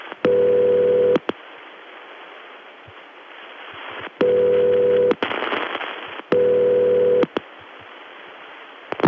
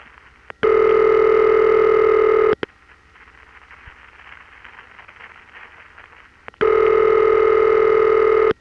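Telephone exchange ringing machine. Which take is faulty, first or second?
first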